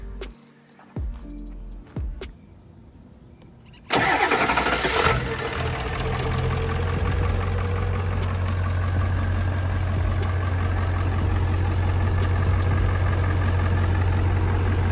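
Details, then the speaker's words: 7.3 Powerstroke diesel truck with a high-torque starter fitted 1.5 years ago, restarted warm after running about 5 minutes. Short quick crank catches almost at once and settles into an even diesel idle; normal warm start. "You guys can hear how it starts when it's warmed up."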